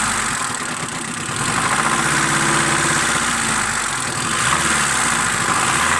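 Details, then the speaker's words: Honda Civic Shuttle, ZC engine: light rapid tapping knock on throttle blips, seemingly from the cylinder head area; cause not confirmed. "как стучит двигатель. Где-то в районе головки. При газовке"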